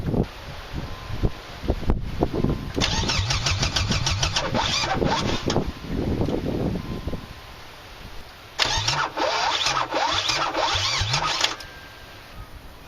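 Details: Mazda 626 on first start after cylinder head reassembly: starter churns in bursts and the engine coughs between attempts but never runs; no spark at first, timing possibly slightly off, and a cracked fuel line is leaking fuel.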